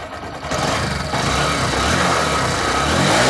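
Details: Honda Shine BS6 motorcycle with ECM starting problem, after fuel pipe refit, ignition cycled, neutral: short crank, then single catches and holds a steady, even idle; normal engine start.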